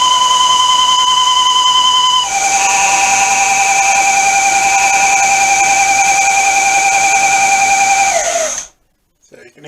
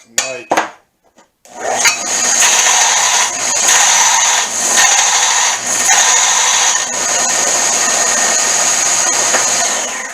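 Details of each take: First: Semi-homemade 1-inch belt sander at high speed: loud steady high-pitched whine dropping in pitch, then winding down; suspected worn wheel bearing, exact wheel unidentified, later replaced with serpentine belt pulleys. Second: Homemade 1-inch belt sander after replacing noisy wheel bearings with car serpentine-belt pulleys and a redesigned tensioning lever: steady high whir with an even scratchy hiss under heavy sanding pressure, no slap or wobble; running smoothly.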